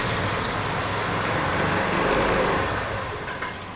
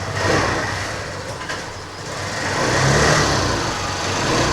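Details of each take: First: TVS Scooty Pep+ engine runs briefly, rough and uneven, then fades and dies within seconds, stalling even with the throttle opened. The air filter was cleaned without improvement; the fault is suspected in the carburetor or CDI coil, and carburetor cleaning is planned. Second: TVS Scooty Pep+ after CDI unit replaced and new carburetor fitted (previously stalled on throttle): small engine rises and falls smoothly through throttle blips, no misfire or stumble, wheel turning well. Normal revving; carburetor was the fault.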